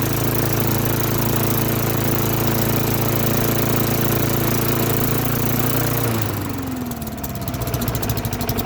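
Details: Old Lawn-Boy mower, Tecumseh 4.5 hp four-stroke, sat 20+ years, started on slow throttle: small single-cylinder thumps at even low-throttle pace for six seconds, no misfires or knocks, then winds down; runs fine.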